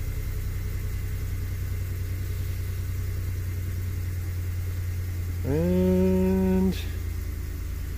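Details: 2008 Chevrolet Impala 3.5 with earlier no-start, long-crank and 5 V reference low codes (reduced power), restarted after the fault and no longer in reduced power mode. A low, steady, even idle with no misses or knocks: normal idle.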